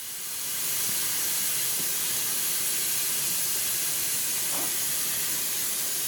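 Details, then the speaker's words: Coats 5030A tire machine after rebuild, air just connected and tank filled: steady sharp hiss that never stops; air escaping at the plastic hose fittings, fixed by removing fittings and re-tapping the holes. "I just plugged in the air and this thing didn't even turn on it filled up and that's what I hear there's a tiny little hiss so we'll have to see where that's coming from"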